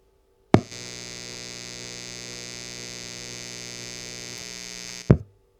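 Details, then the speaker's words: Amplifier powered from an Aferiy P280 2800W power station's inverter, audio boosted about 9 dB: steady low buzz with faint pulsing edge between switch clicks, slightly more noise than on grid power; mild, acceptable inverter hum. "right, so I heard just a slight additional amount of noise when powered off the P280, and that's going to sound a little bit more obvious to you because I will have boosted that volume for you."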